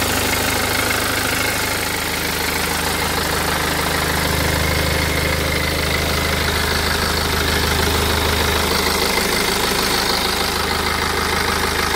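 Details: BMW 320d N47 177hp diesel idling with a faint, regular tick about three a second, heard in the engine bay toward the lower right side; performance is normal and it is unknown whether this is normal.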